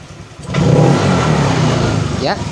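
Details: Honda Vario scooter that died on sudden acceleration: engine picks up cleanly as throttle opens, holds revs without stumbling or dying, follows the twist grip smoothly.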